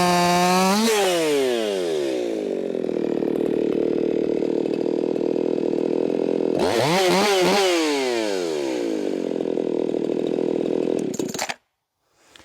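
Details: Ported, muffler-modded Echo 4910 chainsaw cutting wood after being tuned in the cut, about 14,800 RPM: high, steady scream that drops and bogs as the chain bites, then recovers cleanly; clean-running tune.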